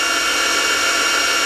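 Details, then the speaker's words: Optimum MB4 geared-head milling machine at its top spindle speed of 3,200 RPM: loud, steady high-pitched gear whine with even hiss, no knocks or rattles; louder than lower speeds but normal for a geared head. "but still, that's not uh horrible. That's still not horrible. It's um it doesn't uh scream through the whole house."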